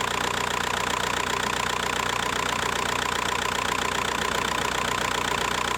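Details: VW Bora 1.9 PD diesel idling right after a timing kit replacement, starting easily and running well; a regular rattling knock of about two per second over a hissy clatter, with vibration, which the owner suspects comes from the clutch damper.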